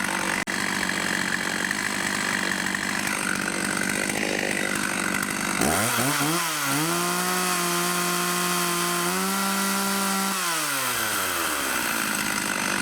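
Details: Vintage 1989 Husqvarna 50 two-stroke chainsaw, sat years with old gas, after carb clean: quiet pulls, then fires and revs cleanly, holds a steady high buzz, drops smoothly to idle; normal running.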